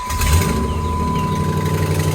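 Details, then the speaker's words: 2008 Dodge Ram 2500 4x4 5.7 Hemi at cold idle: light quick ticking over a low steady rumble from leaking exhaust manifolds, fading almost completely as the engine warms; needs repair. "those exhaust manifolds yep when it warms up they go away a little bit but we're gonna have to uh address that for sure"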